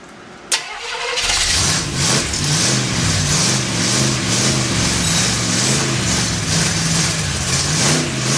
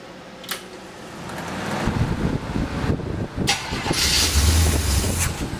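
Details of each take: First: Freshly built Chevy 283 V8 first fire-up, unplugged vacuum port: runs at a fast, uneven lope with wavering note, not settling; big vacuum leak, sounded better with a hand over the carburetor. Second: Cold start of a freshly built 283 V8 with a fan running: the starter cranks, then the engine catches and settles into a rough but steady low idle. It still needs tuning but seems to run okay.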